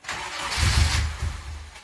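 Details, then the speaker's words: Honda K20 swapped into a Miata, first start with untuned ECU, very old fuel, full 3-inch exhaust: cranking catches with a brief rough burst of firing, then dies; engine fires but won't keep running. "Hey, we have a fire though. I'm happy with that."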